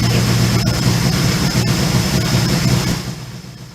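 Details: 1977 Suzuki GS550, first start after sitting two years, AGM battery, on fuel reserve, in neutral: steady low, even idle with no knocks or rattles; normal cold-start idle, needs three to four minutes' warm-up.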